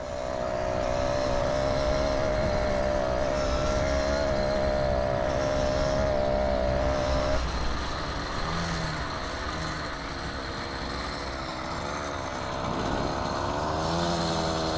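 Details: Two-stroke motorized bicycle riding: steady buzz, then around eight seconds the note sags and wavers before recovering. Loses power and regains it, later cutting out entirely; owner suspects a worn spark plug, not confirmed.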